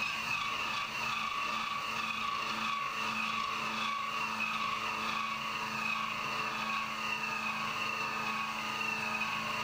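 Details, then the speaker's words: CNC interpolating an AR15 gasblock bore, with RPM lowered and new interpolation parameters: a steady, even high singing tone from the cutter with no chatter, a smooth clean cut. "So I bumped the RPM down a little bit more with the new interpolation parameters, and it sounds much better."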